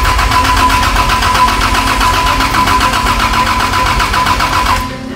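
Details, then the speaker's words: Toyota 80 series Vancruiser engine first fire-up after build, oil pressure confirmed, coils plugged in, brake cleaner added: steady rapid starter churn about four beats a second with no firing; no spark, crank no-start. "Nope. No spark."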